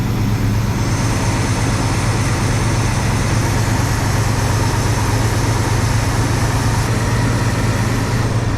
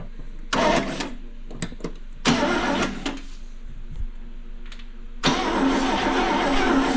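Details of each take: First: 1974 International pickup revived after years of sitting, choke still wide open: steady, even low idle rumble with no knocks or ticks; runs smooth, carburetor kit probably needed, small water pump leak. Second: 1974 International pickup, sitting for years, coil jumped to switch: starter cranks in short bursts, steady churning but never catches; no spark, later traced to dirty ignition points.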